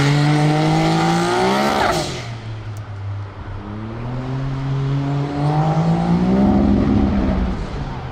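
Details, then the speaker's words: Turbocharged X3 under hard throttle: revs climb, then stumble and drop out about two seconds before pulling again; engine breaking up under boost, possibly a misfire or rev limiter, cause unknown. "well she's breaking up a little bit yeah i hear that i hear the verbal"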